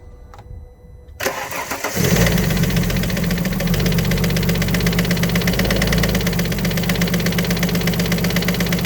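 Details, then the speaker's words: Alfa Romeo 147 GTA, Japanese import, started briefly: cranks and fires, then light rapid ticking about three a second over steady idle; valve or hydraulic lifter tick suspected, top end to come off, possibly both heads need rebuilding. "Now the problem with the car, it does run, but it does have a tick, sort of a valve tick or a hydraulic lifter tick. So the top end of the engine is at least going to have to come off."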